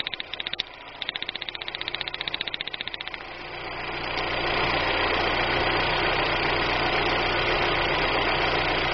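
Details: 1999 Daewoo Nubira idling with a sharp, regular tick about three times a second, then a louder rushing run, while checking a misfire at the plug wires and coil; the misfire was caused by cylinder head damage.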